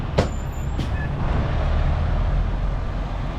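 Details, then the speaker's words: Diesel truck idling while the empty air tanks build pressure: two short, sharp hisses of escaping air over a low diesel idle; just the air suspension airbag venting, not a fault. "did y'all hear that that was just my airbag"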